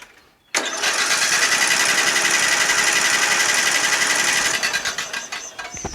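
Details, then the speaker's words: Murray Select 12.5 HP 40-inch lawn tractor engine, spark plug gap bent closed; fast, even starter spin with no puffs or slowing on compression strokes; compression gauge reads zero, engine likely needs teardown. "That's right, just as expected, we have 0 compression. 0. Looks like this engine might have to come apart."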